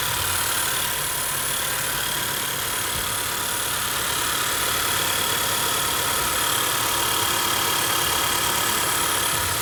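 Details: 2013–2017 Honda Accord petrol engine after belt tensioner replacement for whining noise: steady, even idle with a smooth hum and no rising belt whine; normal idle.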